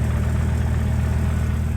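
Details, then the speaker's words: Volvo V70R found about two quarts of oil, suspected worn valves/low compression, fired right up: steady deep idle with a fast, light rattle of single-mass flywheel chatter. "fired right up that time and seem to be running all right I hear that single Mass flywheel"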